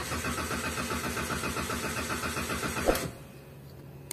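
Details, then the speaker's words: 2018 Toyota Avanza cranks steadily about four times a second but won't start; immobilizer issue after the key chips were swapped, started after key change but with check engine light. "problema nito Crank Crank lang ng Crank Ayaw umandar"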